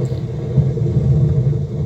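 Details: Novik EVO-250A/USB active speaker making a constant, loud, deep rumble with nothing playing; the fault began as a hiss like faulty potentiometers, the supply rails measure about ±21 V, and the cause is not yet known.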